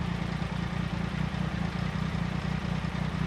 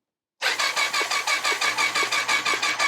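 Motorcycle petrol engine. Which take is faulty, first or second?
second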